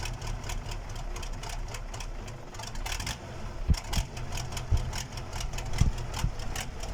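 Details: KAMAZ diesel engine's first start after a major overhaul: steady idle with a deep even rumble and light regular clatter and no knocks or misses; the engine sounds healthy.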